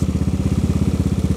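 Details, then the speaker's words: Honda Vario carburetor scooter bored to 130cc, idle with deep, bassy thumping exhaust beat, same exhaust as before; hard starting, valve clearance noise also noted. "Nah untuk suaranya nya kayak gini ya knapotnya masih sama cuman gua dengarnya sih kalau lagi idle gini agak ngebas ya agak"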